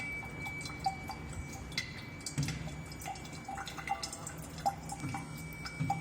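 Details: Faucet dripping with irregular splashes over a thin, steady high-pitched whistle that never lets up. Owner suspects an aged, hardened rubber washer or a faulty ceramic valve cartridge; cause not confirmed.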